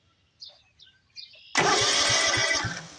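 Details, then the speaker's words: John Deere LT180 riding mower after swapping in the ignition switch from another D100-series mower: the engine cranks briskly with even compression pulses and has not yet fired. "I went ahead and swapped the ignition switches from one to the other. Engine spins."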